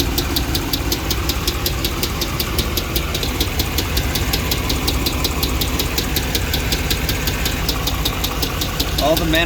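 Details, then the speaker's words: 2009 Dodge Ram 5.7 Hemi V8 at idle: sharp even ticking about 160 a minute from the centre of the engine; lifter failure on cylinder 3, with codes P0340 and P0303, slow starting, good oil pressure and metal on the dipstick. "Sounds like the noise is coming from the center."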